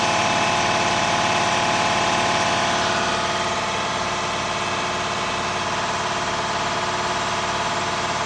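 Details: Diesel (DD) at steady idle with a sharp, even puffing tick about three times a second, from a hard-to-find exhaust leak causing extreme soot buildup; leak finally located.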